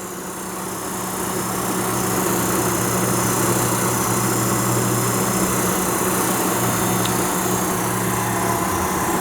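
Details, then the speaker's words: Antique heater blower motor for a 1929 Chrysler, seized before being freed with a drilled bearing hole and WD-40: smooth, steady low hum that holds its pitch without sagging; it is still pulling and runs normally. "So right now it spins real free. Wouldn't spin at all before. And you can hear it's got a pretty good fan in it."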